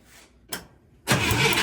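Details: International Scout 800A, barn-stored for years, with a no-spark issue being traced from the coil to the distributor cap. A short click, then the starter churns steadily and loudly but the engine never catches.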